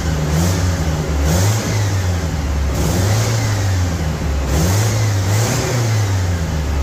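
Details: 1975 MGB four-cylinder project car, now firing on all four cylinders: crisp, even revs climbing and falling cleanly with a steady beat, pulls smoothly and sounds healthy.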